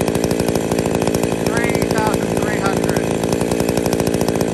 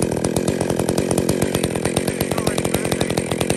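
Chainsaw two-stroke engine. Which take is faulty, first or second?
second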